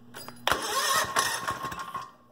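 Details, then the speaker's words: Goofy Cart 2 small engine with Mikuni-style carburetor, loose exhaust, cold shop: catches at once and answers quick throttle blips crisply before dropping away; starts easily, good throttle response. "and probably would help if I had some throttle let me tell you what real good response with that mikuni style carburetor"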